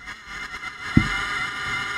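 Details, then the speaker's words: Anyone router cooling fan at power-up, microphone held close: small fan drags with scraping, uneven spin and occasional stops over a steady hum; failing fan bearing. "That's the cooling fan dragging and trying to spin. And it's not doing well. It'll stop at occasion and it's just very unhealthy."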